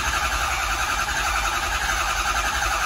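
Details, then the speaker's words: 6.0 Powerstroke diesel, crank no start: steady cranking, no firing; ICP pressure jumps around and doesn't build to 500 psi, traced to faulty injection control pressure sensor rather than high-pressure oil pump. "you can see how ICP is jumping all over the place. It's not making 500."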